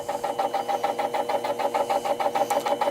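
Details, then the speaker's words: Metal lathe with three-jaw self-centering chuck, facing a workpiece: sharp rhythmic knocks about three per second over the spindle hum, from an interrupted cut not yet going all the way around the piece, which can damage the cutter. "that knocking sound we heard before means we have an interrupted cut so we're not cutting all the way around the piece yet"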